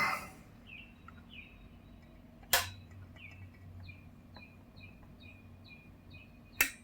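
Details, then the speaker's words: Yamaha CR-600 receiver with no sound and relay not clicking, after replacing blown fuses (output devices and transistors tested fine): single sharp relay click a couple of seconds after power-up, then quiet hum; protection relay engaging normally, output voltages correct. "And I hear the click of the relay, so that's a good sign."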